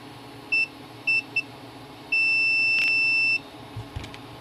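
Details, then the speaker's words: Multimeter continuity check on a TV board under repair: three quick chirps then a steady high beep, suggesting a shorted capacitor; checking the removed old capacitor shows it isn't shorted, so other parts remain shorted. "okay how is that capacitor shorted um let me where's the old one did I already throw it"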